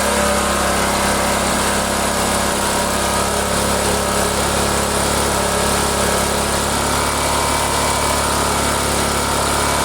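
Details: Small single-cylinder generator, stored unused about a year, that only runs with the choke on, running at steady speed with an even low drone and some rattle until it runs out of fuel. Carburetor needs cleaning.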